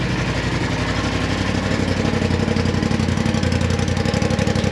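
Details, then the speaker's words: 2018 Polaris RZR XP Turbo, initial startup after replacing the failed turbo with an OEM-spec unit: fast, even exhaust pulse at steady idle, no ticking, knocking or whistle; sounds healthy, no smoke. "Good, sounds healthy. No smoke coming from anywhere."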